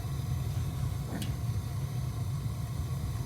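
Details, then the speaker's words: Gas water heater relit, knob turned from pilot to on: steady deep even roar without popping or fluttering as main burner flame grows large; normal main burner operation. "so when you bring it to the on position this way then you have then you hear the big sound that means the fire becomes big there which looks like this"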